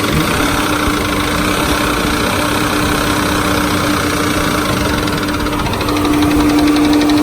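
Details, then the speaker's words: Ford Freestar 4.2 L V6 van with about 220k on it, idling smooth with a steady tapping and no warning lights (no oil pressure, misfire or knock codes); knocking began right after a new transmission was installed; mechanic doubts it is rod knock; cause unknown. "it's idling dummy dead on it's smooth but as you can clearly hear its tapping"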